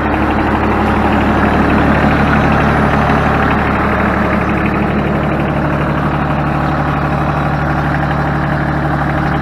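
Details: Ford New Holland 1630 three-cylinder diesel tractor idling after completed rear remote hydraulic valve leak repair: steady even diesel clatter with a smooth low drone, no knocks or misses; healthy.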